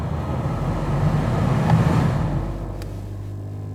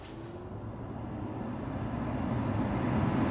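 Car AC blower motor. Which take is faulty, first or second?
first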